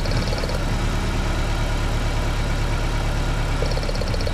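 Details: Engine misfire at idle: an uneven, lumpy idle with a low loping beat and one dead cylinder, traced to a faulty spark plug cable; the ignition coil, plug cables and spark plugs were then replaced.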